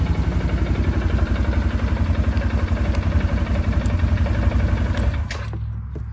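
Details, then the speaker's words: 2009 Arctic Cat 1000 quad, bought used with a non-working 4x4 actuator: starts up super easy and idles with an even, steady thump of about four beats a second until shutdown, with a few light-switch clicks; normal idle. "Starts up super easy as you can tell."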